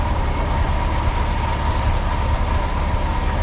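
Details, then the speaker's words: Triumph Herald Estate after a bore wash, with new plugs fitted (old ones oily) and the choke in: low, uneven idle with an irregular lumpy beat and occasional misfire-type stumbles. It is improving, more responsive, not cutting out, and the manifold isn't blowing. "still a little bit farty, but it doesn't smell as bad. And it's still running, and the choke's in."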